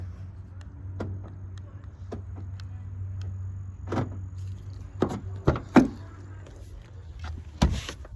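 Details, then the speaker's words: Toyota Corolla L after swapping the rear-seat C1 box for one from an LE to get key fob locking: door shuts with a thump, then quick firm clunks as the lock actuators cycle cleanly; locks working normally. "So that's all you have to do, and let me shut the door, you can hear it. You hear the door locks."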